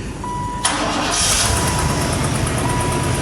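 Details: Chevy Caprice bought as a non-runner, cold start in an unheated garage well below freezing, not yet started that day: a brief crank, then it catches instantly into a smooth, steady idle with no hesitation.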